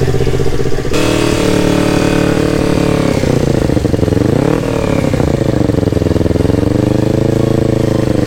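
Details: Yamaha R25 with a swapped-in R3 engine at its first start, on a borrowed Akrapovic exhaust, before ECU mapping: the twin bursts into life, settles to a steady idle, takes a quick rev and drops back smoothly, running normally.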